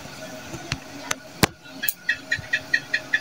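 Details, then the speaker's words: Sanken water dispenser under repair for not heating, 3 to 5 minutes after switching on: faint irregular pops, then soft bright ticks about twice a second, like water boiling in the hot tank; heater working normally and steam comes out when poured. "ya bisa terdengar ada suara seperti air mendidih di dalam dispensernya"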